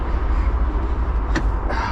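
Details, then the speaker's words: MAN TGX HGV diesel stood for months, cranking; fuel reaches toward the injector but the engine turns over without firing; cranks, no start, cause still unknown. "uh hoping that we find something because we have fuel up um yeah we have fueled up up to the towards the injector but it's still not"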